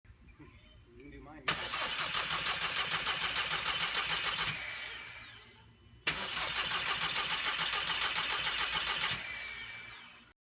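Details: MkV VW GLI that sat about 3 months, then would not start; fuel pump module already replaced without effect: two cranking bursts of about three seconds, steady even starter rhythm, never catches; cranks but won't start.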